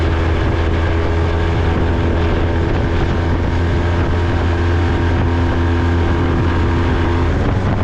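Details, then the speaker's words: Honda 20hp four-stroke outboard restored after being seized, running on the water: low steady even hum with no knocks or rattles under wind and water noise; very quiet, normal running. "I mean, this four-stroke is so damn quiet. Barely hear the thing running."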